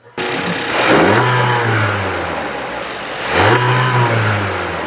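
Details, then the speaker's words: Audi e-tron with DSG DQ400 transmission, fault P2884, oil temperature 17°C: combustion engine fires and revs cleanly twice, pitch rising smoothly and settling to steady idle, no misses; healthy, revved to warm transmission. "I actually went into the car and I could actually fire up the internal combustion engine I don't know if you guys can hear that but right now I'm revving that"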